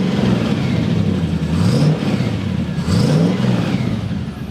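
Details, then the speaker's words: MGB GT with electronic ignition, cold idle after replacing the failed rotor arm with the original Lucas rotor: low, even rumble with gentle revs and no misfire or popping; runs cleanly after repair. "think this sounds pretty good. And that's even a cold start."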